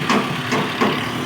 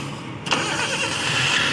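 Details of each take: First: Suzuki Cultus EFI idling after replacing a noisy belt adjuster (tensioner) bearing that had made a metal-on-metal noise; even idle with only light tappet clatter, no bearing noise left, engine healthy. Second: Suzuki Cultus EFI engine at startup: harsh metallic rattle and rising whirring from the front, metal-on-metal sound; traced to worn belt adjuster (tensioner) bearing, replaced with new bearing.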